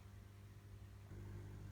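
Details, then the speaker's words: Fluval 206 canister filter newly fitted to a 23L Fluval Edge, primed and started: a low, steady hum settles into a slightly louder, even drone with no rattles or gurgles. The filter is running normally. "And there it is, up and running."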